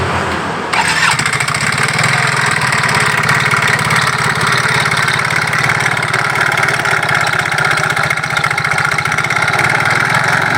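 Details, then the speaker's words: Yamaha Mio GT scooter that runs but won't move: harsh, rattling, uneven clatter from the CVT belt drive as the belt slips at the front pulley, which can't grip; rear pulley still grips. "Nah kemudian kondisi semacam ini dipakai dan tidak akan bisa karena dia terselip ini terlepas tidak ada yang menggigit di depan ini"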